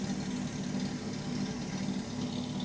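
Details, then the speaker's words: 1967 Mustang with Holley Sniper 1100 EFI, professionally tuned after timing chain change, idling after crank-up with mic at rear: steady, even smooth hum with no whine. The earlier loud fuel pump noise is gone, though a quieter pump sound and an air-like hiss are still heard. "It's not making the noise anymore."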